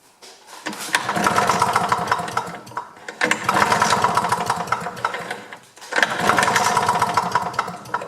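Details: GRW DDR Simson BM40-2 two-stroke lawn mower, just reassembled with carb cleaner sprayed in: three pulls, each giving a short burst of firing that swells and dies within two seconds; won't keep running, cause unconfirmed. Engine fires briefly but won't keep running.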